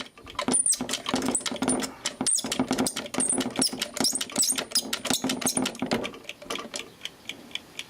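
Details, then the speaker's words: Landis & Gyr / Osaki time switch escapement being wound: quick ratchety clicking with sharp high squeaks, mechanism stiff and seized up, owner plans to strip it apart to free it. "i think there's our escapement in there so this is all seized up wind it oh yes that bit there works that's pretty damn squeaky"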